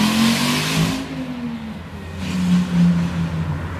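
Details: Volvo S40 T5, 2.5 L turbo inline-5, hard revs rising and falling with a loud raw blat. Massive exhaust leak where the flex pipe bolted to the turbo blows out through its outer wall, sounding like catless exhaust straight from the turbo.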